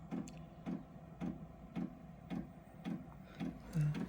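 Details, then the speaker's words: Diesel workshop heater starting on a low battery: after the fan runs, soft, even fuel-pump ticks about twice a second over a quiet background as exhaust begins to appear; glow plug has enough power, normal startup dosing. "sure you can hear the pump going now so looks like the glow plug's got enough power"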